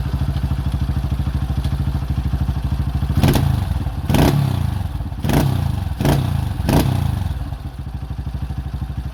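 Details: 2005 Honda CRF150F single following valve adjustment and carburetor tune-up (no-start, carb issue), during carb adjustment: an even idle putt with a few quick throttle blips that pick up cleanly and settle back. It runs properly.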